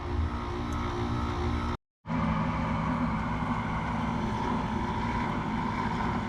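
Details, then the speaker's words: Central Boiler CL 6048 Classic outdoor wood boiler at 179 degrees after replacing failed Taco 009 circulator pump cartridge: steady even hum, no knocking, rattling or gurgling, no leaks; pump running smoothly. "ladies and gentlemen that sounds pretty good to me no leaks it's tight it's running"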